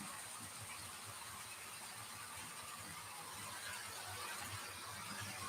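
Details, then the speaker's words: Model railway class 85 coaches passing: continuous gritty rolling hiss with fast irregular rattle, wheels very noisy, especially the end coach; rubbing wheels with a track rubber had no effect, cause unconfirmed. "very very similar looking models but unfortunately very [Music] noisy especially this one on the end that one is really really noisy"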